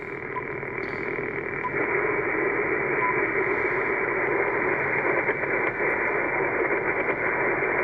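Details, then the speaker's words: Toyota Tacoma truck running causes constant hiss and buzz with fast irregular ticking on 40 meters, no station audible; toroids and ground strap made no difference, noise stops when truck is off: vehicle RF interference on radio receiver. "so I don't know if you can hear that on 40 meters but that sounds like uh noise"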